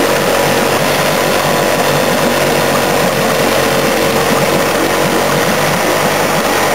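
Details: 15 hp Evinrude two-stroke outboard running: a loud, uneven, stumbling beat with dropped firing pulses throughout; misfire, cause not yet pinned down.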